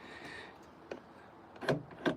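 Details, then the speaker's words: Nissan Note rear hatch lock actuator after reconnecting broken wires, lock button pressed: two quick solid clunks a third of a second apart; actuator firing cleanly. "so let's have a quick check at the actual lock here. So if we press the lock and it works, then"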